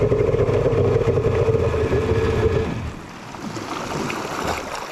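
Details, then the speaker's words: Kawasaki 1100 triple testing a custom-made head: rough, uneven rattling drone with a hard tone that cuts out after about three seconds, leaving water noise; engine locked up, owner suspects sticky pump bearings or crank bearings. "oh she's seized doesn't sound hot sounds like sticky pump or sticky bearings oh man not good whoa that kind of sounds like pump bearings coming from the back"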